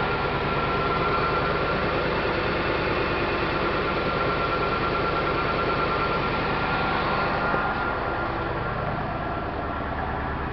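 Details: 1997 Ford F250 5.4 two-valve V8 running rough, check engine light on, code for cylinder 7 misfire: uneven idle with a steady stumble about three times a second; coil 7 tested with back probe and amp probe.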